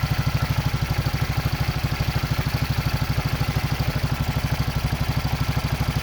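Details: Racer 164FML 200cc pushrod single-cylinder engine with a balance shaft, first start after repair: even thump about nine beats a second, steady, with no knocks or rattles, a smooth healthy idle.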